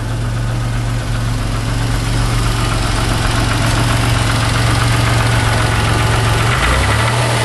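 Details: 1991 Chrysler LeBaron convertible 3.0 V6, cold start after nearly 7 months sitting through a Minnesota winter, warming up: steady even idle drone with no obvious ticking; lifters quieter than usual after sitting; normal idle.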